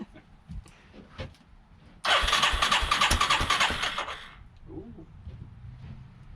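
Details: 1989 Yamaha Moto-4 350 single after a budget rebuild, first crank with plenty of spark: about two seconds of quick, even starter churning without a single firing. Crank no-start from stale, gelled fuel clogging the carburettor.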